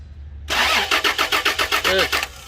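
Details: Toyota Land Cruiser during fuel pump electrical testing: steady rapid cranking at about five strokes a second for under two seconds, never firing. It cranks but won't start; cause suspected, not confirmed.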